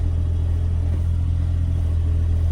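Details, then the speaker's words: Kei car at a Japanese auction, about 53,900 km, possibly recently tuned up: low, even, steady hum without stumbles or rattles; idles smoothly and sounds healthy, a normal idle. "It actually idles really good. Has a little purple to it."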